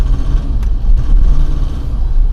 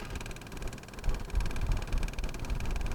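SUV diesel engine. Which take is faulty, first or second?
first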